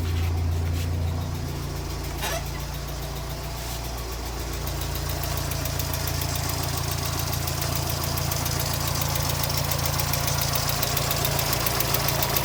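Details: 1992 Mazda Miata at idle, first start after cracked radiator and suspected blown head gasket, no water in oil, oil pressure seems fine; steady light tick about three to four per second; owner unsure whether rod knock or lifter tick.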